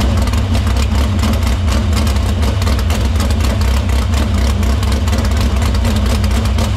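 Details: Dirt Silver Crown race car fired in the shop after fixing the fuel line, cleaning the filter and routing fuel through the pump and main lines to the barrel valve. A strong, steady deep rumble over several seconds with no misses or knocks. Fuel system checks out: normal running.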